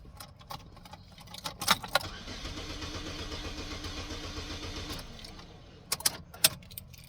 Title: Got battery cranks but still won't turn over @IntuitiveAnthony